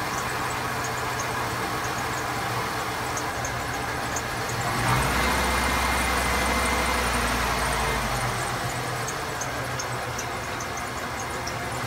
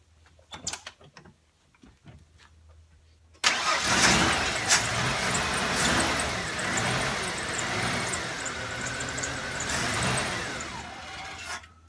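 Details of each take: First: 1994 Ford F150 XL, 4.9 inline six, after reinstalling the IAC valve and installing a new MAP sensor to fix a no-idle problem: starter cranks briefly, engine catches within about five seconds and settles into a steady, even idle on its own. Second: 1994 Ford F-150 XL 4.9 inline-six: cranks and catches, surges with repeated throttle blips, then stalls once gas is released; won't idle, fix starts with the idle air control valve.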